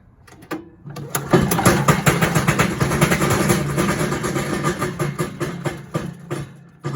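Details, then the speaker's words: Little Wonder 13 HP Honda-powered high-output leaf blower, about 5 years old, just pull-started on choke. Uneven clattering knock over the fan roar, something hitting inside. "That's not good. Wow. Something's hitting in that fan."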